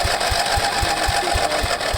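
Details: Craftsman 15.5 HP OHV lawn tractor after new head gasket and reassembly, new spark plug: steady low thumps about four a second as the starter drags the single slowly over without firing; sluggish cranking, battery suspected weak.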